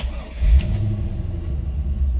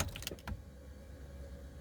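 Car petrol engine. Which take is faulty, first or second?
first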